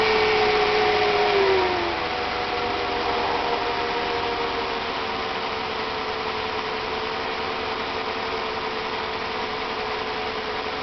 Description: Symptoms: P0300, P0304, P0305, P0306; barely driveable, couldn't go over 10mph due to engine cutting off driver's side cylinders. This test confirms there is a major restriction in the driver's side cat converter.